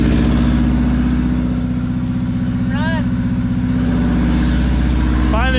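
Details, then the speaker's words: Subaru WRX first start after almost 4 years sitting, new clutch and turbo inlet, running with no exhaust, intercooler or radiator: loud unmuffled steady raised idle with even firing, no knocks or misses; healthy running. "She sounds healthy too. Besides it being no exhaust, no intercooler, no radiator, and a high idle, she's ready to go."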